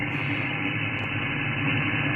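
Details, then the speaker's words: SDR receiver on a half-wave antenna used for 40 and 80 m: loud constant hiss and buzz with a low hum underneath, noise floor about S6–S7; strong local interference, suspected from the house behind, not confirmed. "you can hear all the noise [Laughter] so what i'll do next is i'm using uh let me just get i'm actually using this for um going around and um checking for noise"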